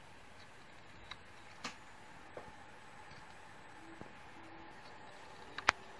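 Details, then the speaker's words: Toshiba C855 laptop with very slow Windows: faint, sharp, repeating clicks every second or two from the hard drive, captured by phone moved around the laptop; failing hard drive clicking, data should be copied off. "to diagnose the failing hard drive you must listen after a sound and I'm going to try and capture the sound in a moment"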